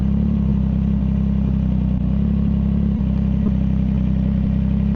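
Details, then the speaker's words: CFMOTO 675SS with a Team MSC ECU tune and full exhaust system, after a ride: a deep, steady exhaust rumble with slow, even pulses; the idle holds weirdly and sits very low, and the rider is unsure if that's normal; not running hot. "The idle, it holds it very weirdly. That's pretty low. That's a pretty low idle."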